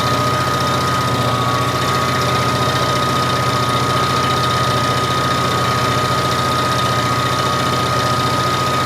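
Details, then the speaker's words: Lathe cutting 7075-T6 aluminium for a 5-cylinder radial model engine stand, spindle slowed about two steps down from wide open, which was too fast and squealing: steady even cutting noise, constant high tone, no squeal; correct cutting speed. "we want about two steps down from there this is much too fast unless you want to hear it squealing on an NC machine it'd be fine you don't have to stand there and listen to it that's better"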